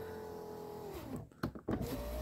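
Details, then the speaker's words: 2010 Ford Fusion door after passenger side-view mirror replacement: a smooth window-motor whine falls in pitch, thuds at the stop, then runs again steadily. The power window works normally, all the way up and down. "we have all the way down all right that is a successful repair"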